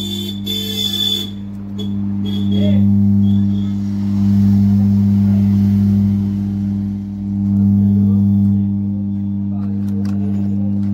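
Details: Amplifier with 4440 IC board humming along with the audio: a steady low hum sits under the music and swells with the bass. A small capacitor is being swapped to try to cure it. Amplifier hum.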